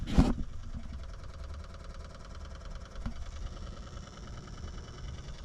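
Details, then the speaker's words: Two-stage heat pump, nearly two years old, after repair with harness replugged: quiet rapid evenly spaced ticking over low hum as expansion valve motor does its reset; normal EEV reset. "so it's doing a a reset and we'll turn the power back on and see what happens"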